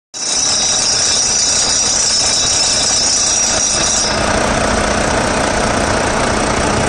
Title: Volvo D13 Drive Belt Tensioner Noise